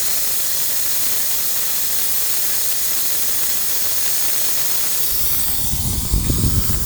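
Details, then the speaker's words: Overheating Chrysler 300, hot engine, cooling system bleed screw opened after earlier bleeding: steady loud steam hiss swelling near the end; owner believes air remains in system, with water pump suspected as root problem. "And the fact that all of this steam is coming out means there's just air in the system. You can see that letting out a lot of hot air."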